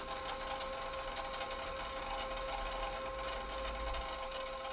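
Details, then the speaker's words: Yamaha KX-630 three-head silver cassette deck, serviced with belt replaced: steady loud whirring hiss with a thin constant whine while rewinding; noisy rewind, cause not yet found, owner plans to address it; playback sound and speed fine. "yeah it's very loud we see i'm gonna i'll have to probably address that"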